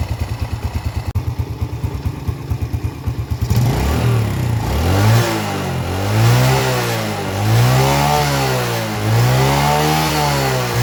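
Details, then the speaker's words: Yamaha Vega R four-stroke, repaired for lost compression by valve lapping and ring-area cleaning, exhaust refitted: even single-cylinder idle and clean throttle blips; runs smoothly. "Oke Kang Bro, ini untuk Vega sudah selesai Kang Bro ya, dan sudah mau hidup."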